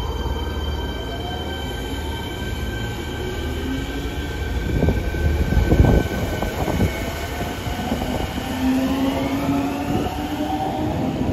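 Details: Fukuoka subway 1000N series set 12 (Hitachi IGBT-VVVF): rising and falling whining tones sweep with train speed over rail rumble, a jet-like abnormal inverter howl, cause unknown.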